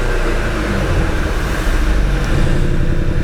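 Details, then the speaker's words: Audi TT 2.0 TFSI, Stage 1 remap, started with new spark plugs: deep uneven thumping "boum boum" under the rev and hesitant pickup; the engine is still running on three cylinders, a misfire with no dash warning lights. "Mais on entend derrière ça boum boum boum boum boum. Ça veut dire qu'il manque un cylindre."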